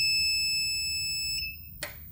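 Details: 1000W pure sine wave transformer inverter with charger, checking program 9 (50 Hz) and moving to 11 (max charge current 35 A): three short high beeps in quick succession, then a click and room hum; normal keypad confirmation.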